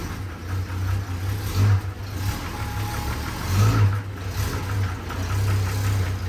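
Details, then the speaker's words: 1970s Holden HZ ute six-cylinder, revived after about 20 years sitting: a rough idle with an irregular dull knock that doesn't follow revs. Owner is unsure whether it is a lifter or bottom end; cause unconfirmed. Engine knock at idle. "So I don't know what to do about this engine. It makes a noise, sure enough. It's not getting any worse, it's not getting any better."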